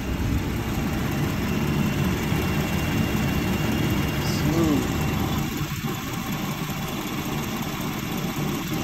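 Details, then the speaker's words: A 2017 Ford F-150 at 128,000 miles, after replacing the VCT cam phasers (the passenger intake phaser was not locking), timing chains and tensioners, idles with a smooth, even hum with no tick, rattle or knock; the phaser rattle is gone. "Oh, so quiet. Listen to how quiet this motor is. Not a single tick, knock,"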